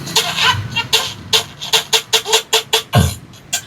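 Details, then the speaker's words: Sakura AB735 integrated amplifier: music harsh and crackly, breaking up on loud beats with the speaker on the right channel; distortion confirmed on the right channel. "Ah merong basag na tunog dito sa may ito. Right channel. Okay, confirm. Right channel."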